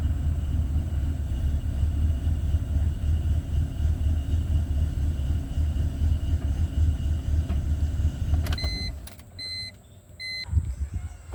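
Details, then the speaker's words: 2004 BMW E46 at idle: uneven, stumbling beat of a worsening misfire, with other noises the owner likens to the knock sensor; owner is replacing spark plugs with new NGKs hoping it fixes it. "And I'm having problems with this misfiring, man. It's getting worse and worse. Starting to make all kinds of sounds like the knock sensor growing up."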